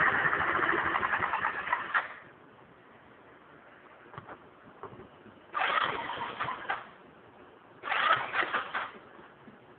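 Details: GY6 (152QMI) scooter engine: bursts of harsh, raspy mechanical noise over a quieter ticking idle, only when warm; cause unknown.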